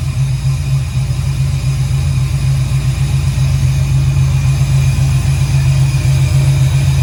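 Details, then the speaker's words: 1968 Camaro V8 on second start-up, Holley EFI without correct injector data, idle not yet adjusted: deep even rumble, steady low beat, no ticks or misses; a little smoky from oil put in cylinders, oil pressure reads error; normal running. "But sounds great. A little smoky, but it sounds awesome."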